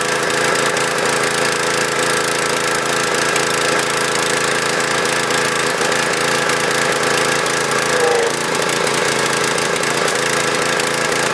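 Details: Husqvarna PW3200 pressure washer, Briggs & Stratton CR950 208cc single, submerged in Hurricane Ian flooding, fresh fuel, started with choke off: steady fast speed, uneven stumbling beat; running a little rough.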